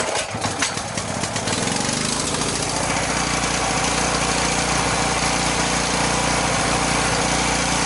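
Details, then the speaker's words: Sportsman generator, unused for a couple of years, after carburetor work with the air filter on and no load: pulls up to speed with a busy, slightly uneven beat, vibrating as if missing; owner suspects a lean mixture, smoother under load. "But if you listen here, when I turn it back on, it's kind of vibrating a little bit, like it's missing. It might be a little lean."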